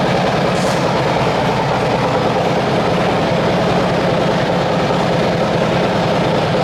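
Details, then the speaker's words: Cammed Harley-Davidson V-twin bought from Copart, first start, idling: deep loping rumble with a steady uneven beat, no ticks or knocks; normal idle. "We have got power! We've got power, guys. You hear the vroom vroom on that thing."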